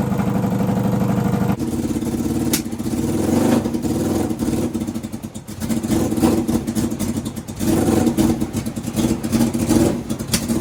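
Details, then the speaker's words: Go-kart engine: revs unevenly with irregular pops and crackles from the exhaust; owner is checking whether the misfire and popping come only from fuel starvation. "And I just want to make sure that that popping and everything is from fuel starvation for the fuel pump being off and not for something else."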